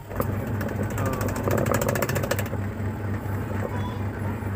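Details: Two-tub washing machine wash motor run after rewiring its cables with makeshift wiring; even low hum at constant pitch, no grinding or knocking; running normally.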